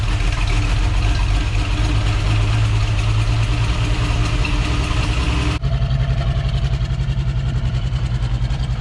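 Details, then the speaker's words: 1966 Ford Bronco V8, first run after sitting about 15 years, ignition timing off, exhaust leak underneath: uneven loping idle missing on a cylinder or two; uneven idle with misfire. "So you can kind of still hear it missing on a cylinder or two, but I'm not really great with carbs, especially when the timing's all kind of wacky."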